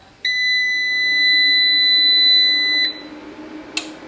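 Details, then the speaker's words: EASUN Isolar SMV III 3kW 24V pure sine wave inverter on a 27V battery through a 200A shunt: a long, steady high beep of about 2.5 s, then quiet. Normal power-on; two long beeps are reported, after which the fan starts. "හරි long beep දෙකකට පස්සේ මේක on වුණා fan එකත් on වුණා ඒ වෙලාවේ."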